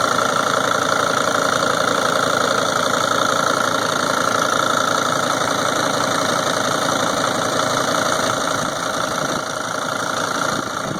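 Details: 2003 Sprinter diesel at idle: sharp, fairly regular tick-knock about three a second clearly above the engine, louder than normal; source not pinned down.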